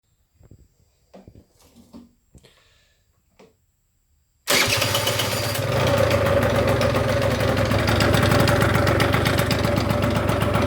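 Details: Quiet handling, then the engine fires and idles with a fast, regular rattle over the running note that persists as it settles: engine rattle.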